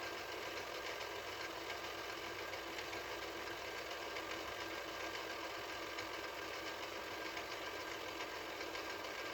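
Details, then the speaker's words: 1983 Mitsubishi HS-700UR portable VCR, after repair: smooth steady high whir on fast forward, no rattle or ticking; transport healthy, unlike rewind, where the clutch under the reel is suspected of rattling. "but that little clutch underneath the reel is a little rattly because it doesn't do it on fast forward"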